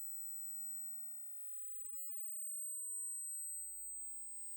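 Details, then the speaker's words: Coil circuit the builder calls a 'Joule Thief' but says differs, with a 5 lb coil charging a capacitor bank. A faint, steady, very high-pitched whine holds once the cap voltage exceeds the battery voltage: normal coil ringing tone. "After it gets above the battery voltage, you'll hear it start to ring. There's the ring."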